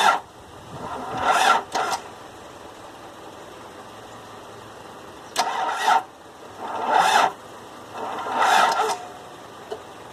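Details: Toyota 22RE engine: four separate cranking bursts of about a second each, starter spinning with no catch between tries; cranks but won't start.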